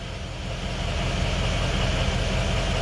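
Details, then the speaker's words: Ford 6.0 Powerstroke diesel, just started with air still in the high-pressure oil system: steady, even idle clatter with no stumble, miss or hunting; running well, normal idle. "It seems to be running really good."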